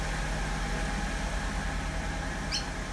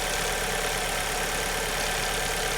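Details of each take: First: 2002 Alfa Romeo 147 2.0 Twin Spark misfiring at idle and on acceleration; uneven idle that stumbles and misses every few beats; an earlier miss was a burnt coil. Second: 2002 Alfa Romeo 147 2.0 Twin Spark, after repair: compression was fine, coils and plugs were swapped one at a time and the last of the four cured the idle and acceleration misfire; steady, even idle with a smooth hum, no skips or stumbles.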